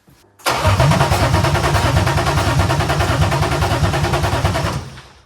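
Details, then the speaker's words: BMW E36 Touring, first start attempt after an M52 six-cylinder swap: even starter cranking at about three beats a second for four seconds, never firing. Crank, no start, no fuel; the fuel pump runs only with key-on, not while cranking. "I don't think we're getting fuel."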